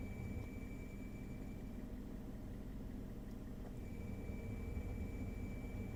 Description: Squealing noise that comes on when I turn my heat on in my 2013 Hyundai Elantra.